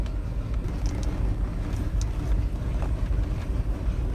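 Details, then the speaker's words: Bayliner Capri 5.0L V8 MerCruiser, warmed up, after a carburettor clean: throttle eased on from idle. The deep rumble picks up evenly with no stumble or dip, where it previously went flat and stalled. "ease it on yeah i wouldn't do this before if you tried to use that look at that i could never do that before"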